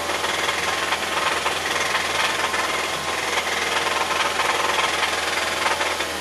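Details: 2006 Mazda 3, 183,000 miles, check engine light with oxygen sensor codes only and no misfires, revved with microphones on top of the engine and at the oil drain plug: hissy engine with an uneven knock about three to four per second, seeming to come from the bottom; source not confirmed.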